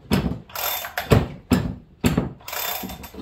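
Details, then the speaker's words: Chainsaw with lots of run time, compared with new build being broken in: slow hand pulls give firm, sharp, evenly spaced thumps against strong resistance; compression healthy, rings seated. "see listen it's more of a it's a different sound okay so as you break in your saw you will get more compression the rings will file in and they'll seat"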